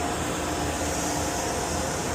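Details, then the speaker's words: Oil boiler burner restarted after a service for smoking, with the oil pump left switched off: steady airy fan whir and faint hum with no flame roar; the burner motor runs but never ignites until the oil pump is turned back on. "what's the one thing we forgot to do all right why didn't we come out what the one thing I forgot to turn the oil pump back on Bingo turn that oil pump back on"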